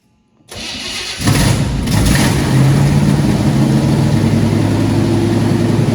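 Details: Old four-barrel-carbureted engine, long stored: short crank, then catches into deep steady idle, no misfire or knock; running strong.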